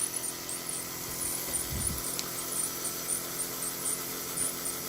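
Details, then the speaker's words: Sony AV-3400 portable reel-to-reel portapak during winding: thin, high irregular squeaks about twice a second over a quiet whir. The part needs cleaning and oiling, and the owner thinks something is probably damaged. "this is squeaking by the way as you can hear see squeaking stops i'm gonna have to clean that and oil it so don't squeak anymore"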